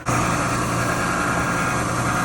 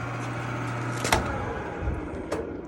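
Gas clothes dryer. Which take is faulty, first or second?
second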